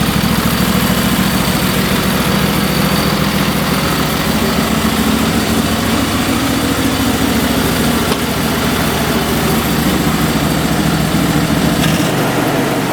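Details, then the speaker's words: Craftsman lawn tractor twin-cylinder engine that had been popping and wouldn't start, heard after the missing spark plugs were reinstalled: loud, steady, even idle with no popping or misses. The engine is healthy. "so what a relief guys at least I know the engine will run this was not an issue that was my fault by transporting it"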